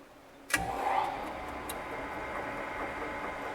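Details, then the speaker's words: Morey vertical shaper (slotter) after feed box oil pump fault, following oil change and sight glass fitting, fixed by readjusting badly routed oil lines: thump then even hum with light ticking; normal running, pump feeding oil. "oh looks like pump everything's pumping good I had to adjust my lines a little bit"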